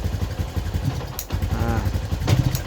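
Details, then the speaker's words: 2011/2012 Yamaha Jupiter MX New 135, owner complains of weak power, bad stutter at throttle opening, high fuel use: single-cylinder thump stumbles and nearly dies on sharp throttle, fine when gentle; mechanic suspects original CDI, typical on bikes over 5 years. "Kalau adapun sampai mati ya. Nah, ini masalah utamanya. Jadi kita menurut bukan pengalaman sih yang sering kejadian untuk masalah unit motor Jupiter MX New unit usia motor di atas 5 tahun biasanya kita mengarah ke bagian ini CDI nih."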